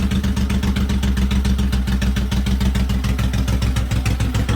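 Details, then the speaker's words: Freshly rebuilt engine with all-new bearings, first start, new exhaust gasket and spark plugs, not revved: a steady, even low thump of about three and a half beats per second with no ticks or knocks; a healthy, quiet idle. "it's pretty quiet too"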